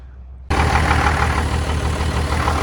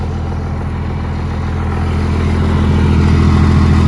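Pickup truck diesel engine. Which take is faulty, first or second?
first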